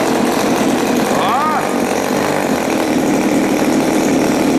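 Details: Turnigy TP31-T 31cc twin-cylinder two-stroke with CD ignition and Walbro carb, first run in cold workshop after choke use: smooth steady high buzz with no misses or surging, running cleanly once warm.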